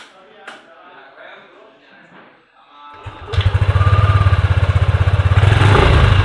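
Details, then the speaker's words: Yamaha Aerox scooter idles with a fast throb and a thin buzzing rattle from the rear number plate, which vibrates against the center fender at low speed; fixed with a bracket that widens the gap. "so the sound comes from here, guys, when we take the motorbike slowly, it will vibrate like this and it's really uncomfortable guys"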